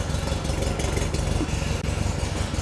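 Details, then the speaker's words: Porsche 356 Speedster replica on a VW air-cooled flat-four, just after a cold start at about 37° outside air temperature, heater on but not yet warm. Even low thrum, steady beat, no misses or knocks, 40 psi on the dash gauge: normal idle. "heater's been on it obviously but I mean it's not like you know warm or anything like that or the heater's been going but yeah idling nicely 40 PSI on the dash"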